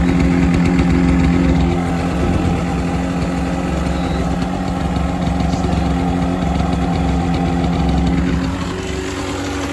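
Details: Kawasaki KMX 125 two-stroke motorbike idling after a flat battery was replaced, before its MOT. Steady, crisp two-stroke putter with an even beat and no knocks or misses; a normal, healthy idle.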